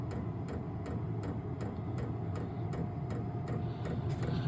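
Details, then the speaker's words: Vevor 12 V 8k diesel heater at startup with cold air still blowing: crisp, even clicks about every third of a second over a low fan hum as the dosing pump cycles fuel into the heater; normal. "all right don't know if you can hear that that's the pump cycling in it's going to dump fuel into the the heater portion of the unit cold air right now"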